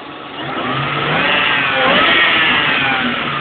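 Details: 2003 Mustang GT with a Kenne Bell supercharger fitted about 15 months: steady hum rising with revs, much louder on the left/passenger side near the alternator; owner suspects a pulley with a bad bearing, possibly the blower, not yet pinpointed.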